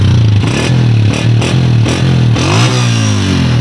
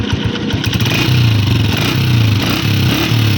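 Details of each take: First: Honda 125 motorcycle after replacing the exhaust gasket at the head, burnt through by a loose nut and causing a phat-phat leak sound: deep, steady thump with clean blips as revs rise and fall, no puffing; exhaust now sealed. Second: Honda 125 single-cylinder motorcycle at idle: sharp puffing pop, phat-phat, on every exhaust beat near the head.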